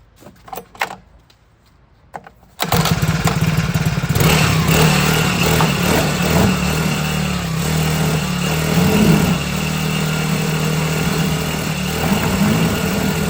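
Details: Cheap China-made 4-stroke outboard on a water test during break-in, run after tightening fittings; after a few pulls it catches and settles into a steady, even buzzing run with small throttle blips, sounding healthy, normal running.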